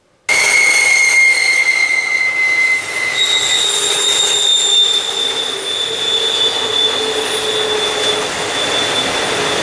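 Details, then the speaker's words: Passing freight train, with loud, piercing high-pitched wheel squeal that wavers and shifts pitch as the cars roll by. "Here's a short example of what I mean by wheel squeal. You hear it all the time in the curves."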